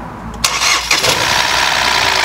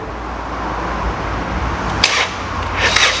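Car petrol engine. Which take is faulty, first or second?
first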